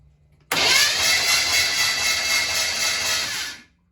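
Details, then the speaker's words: Impala during a screwdriver spark test with the carburetor removed: a steady high whir of the starter cranking for about three seconds with no firing; cranks but no start, no spark. "nope uh no spark back to the drawing board wait wait we uh took the carb off"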